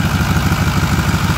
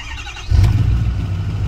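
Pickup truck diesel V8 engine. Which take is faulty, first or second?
first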